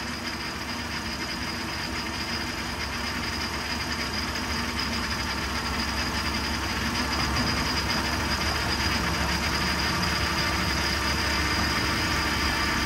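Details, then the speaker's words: GM 3.6L V6 first start after timing chain replacement and prep: steady, even idle with fine ticking and hiss on top as oil takes a moment to come up, no knocks, warming up. "It takes a little while for the oil to come up. That's why it makes that noise."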